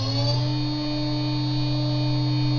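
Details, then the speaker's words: Higher-quality 3kW water-cooled Chinese spindle with better bearings, low runout, at high speed: smooth steady high tone, no roughness or rattles; healthy and quiet. "the reason I'm speaking in this video is to give you an idea of the sound level as a refence point so starting with a spindle on the right I will increase its speed in 6,000 RPM increments to 24,000 RPM"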